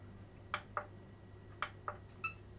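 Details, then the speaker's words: Xbox One S that reportedly shuts off after one second, powered on after the 15-second self-test wait: a few soft clicks and a brief, incomplete start-up chirp, then it cuts out; suspected internal power supply fault. "Słyszeliście takie i koniec odcięło ją nawet nie ma pełnego dźwięku"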